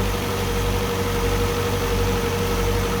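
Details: Land Rover Series 2a first start after engine rebuild, temperature coming up: steady, even idle with a low unhurried beat, no knocks or misses; the rebuilt engine sounds healthy.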